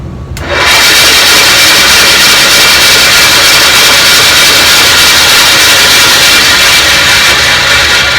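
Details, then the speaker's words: Craftsman 12-inch vertical bandsaw just after new guide bearings were fitted, run to check where the blade rides: a steady loud hiss and scraping rush over the motor hum, no knocks; owner doesn't know what it is rubbing on. Loud rubbing noise. "certainly is noisy isn't it i don't know what it's rubbing on to make all that wreck"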